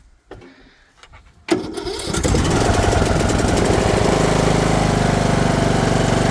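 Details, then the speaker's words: Briggs & Stratton lawn mower, cold start after sitting over a year in a hayfield on stale gas, burns oil: a couple of sputters, then catches and settles into a steady, even patter without misses; running normally. "Running. Listen to this thing purr. Been sitting out in the hayfield for over a year."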